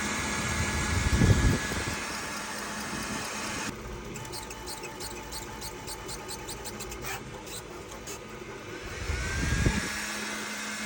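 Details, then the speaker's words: Creality K2 3D printer. Quick, high squeaks about three times a second during print motion, loud enough to hear all over the house: squeaking while printing; owner suspects a bad pulley. "it sounds like a pack of mice are living in it and is so loud and such like the perfect pitch I can hear it in all corners of my house"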